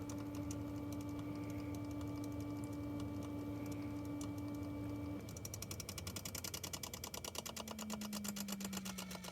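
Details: Tesla Model 3 Long Range front blower fan clacking: steady hum turns to rapid clacking that slows as blower winds down; present at vent start, absent at full speed, loudest near stop; reproducible with plugged-in pre-heating.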